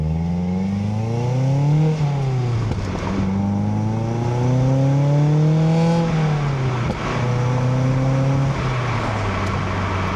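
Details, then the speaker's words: Mazda NC Miata four-cylinder with Goodwin Racing SuperQ axle-back exhaust, catless header and midpipe: revving through gears then lifting off, scattered crackles and pops on the overrun, considered normal for this engine; no drone. "You also get lots of pops out of the back. I think it's a very common thing for this engine because every single video that I watch has those pops."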